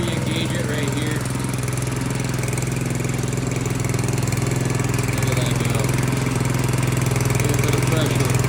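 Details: Brand-new Harbor Freight Predator engine just swapped onto a rear tine tiller, first start out of the box: steady even single-cylinder thrum about three beats a second, no knocks or misses; running healthy.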